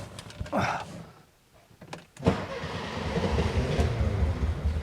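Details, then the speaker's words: VW Super Beetle with original fuel injection cranks at a steady, slowish rhythm but never catches, apparently getting spark; owner suspects it flooded, later suspects ignition timing slightly off. "you can hear it it's trying did it flood out"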